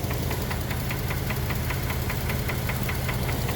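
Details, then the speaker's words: Chevy Traverse engine knocking, at idle after adding thicker oil and Lucas oil stabilizer: steady sharp metallic tapping about five per second over a low rumble; treatment did not stop the knock. "oh man that's awful i don't know how well that picks up but let's just say if you plan to use lucas to save your engine after it starts knocking probably ain't gonna happen"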